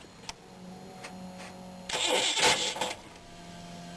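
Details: RV engine on a start attempt just after swapping in a new distributor, with cylinder 1 set near its timing mark: short cranking bursts, then a harsh, rough grinding rasp; cause unclear.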